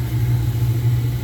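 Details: Miller oil furnace blower motor giving a steady heavy electrical hum but not spinning up; it starts only when spun by hand. It was very hot when removed and was replaced with a new motor and fan housing.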